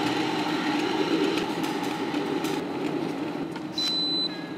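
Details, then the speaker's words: Cuppa CWK-100 1-litre variable gooseneck kettle set to 89 degrees: a steady rushing hiss and low hum of water heating, fairly loud but even, then a short high beep; normal heating noise. "I set the temperature to 89 here it it's a bit loud it doesn't bother me"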